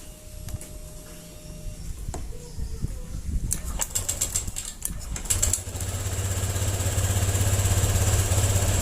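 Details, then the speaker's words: 2020 Honda Vario 125 after a fix with the ignition-key and lever reset procedure and a socket disconnected: after clicks and handling noise, it revs up smoothly and climbs steadily without hesitation; more responsive than the earlier stuttering. "yang dihasilkan lebih responsif daripada sebelumnya. Tadi sangat tersendat-sendat."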